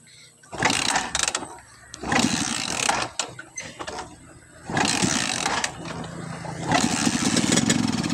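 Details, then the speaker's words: Skygo motorcycle engine with spark plug ground and center electrode gap set too close catches in ragged bursts that stumble and drop away, never settling to a steady beat; misfiring and hard starting from the closed plug gap. "Kung napansin nyo at narinig nyo yung tunog ng makina niya, palyado siya at hirap umandar."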